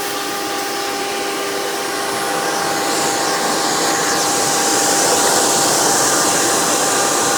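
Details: Hoover PowerMax II U5246-940 upright vacuum (2002), direct-air, 12 amp motor with 20-blade fan, after motor work, running on the hose with tools: steady, even high rushing whine with a few fixed tones, no surging, rattling or scraping. Normal running.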